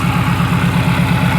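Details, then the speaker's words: Flooded Saleen number 26 with a supercharger at idle: a fast, even metallic rattle over the low rumble. The supercharger is suspected, and the owner wonders if it sucked up water, but the cause is unconfirmed. "what is that noise is that the supercharger cuz that sounds like the supercharger that doesn't sound normal to me that just rattling"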